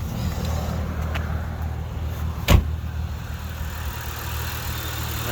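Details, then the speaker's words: 1995–01 Nissan Maxima 3.0L VQ30 engine with Audi R8 ignition coils fitted, OBX V2 headers and 2.5-inch exhaust: calm, steady idle with an even beat, no misfiring or sputtering. "calm idle. No misfiring, no sputtering."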